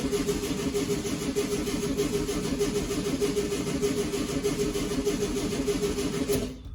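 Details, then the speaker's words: 1965 VW Beetle that sat long in a garage, cranking: steady starter churning with even rhythm, never fires; no fuel reaching the filter, owner suspects a stuck carburetor float and taps it; cranks but won't start. "it's almost there almost could be that the float is stuck in the carburetor okay so let me give it a little tap"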